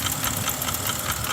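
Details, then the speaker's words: Mercedes-AMG GLS63 V8 running with a loud, sharp metallic knock about eight times a second, audible from inside the shop; suspected worn LU-Sil cylinder liner coating causing piston slap, not confirmed; engine knocking. "So this is a coating in the cylinder, and when they wear out, you get all sorts of weird knocking noises like this."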